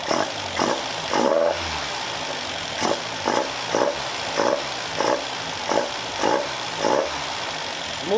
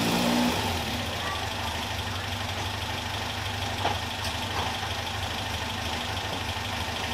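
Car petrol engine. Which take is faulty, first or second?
second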